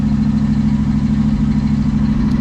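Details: Carbureted classic V8 van with an Edelbrock carb, doghouse cover refitted, choke set, cold day: steady, even low idle rumble with no misses or hunting, and no black smoke on startup this time; normal idle.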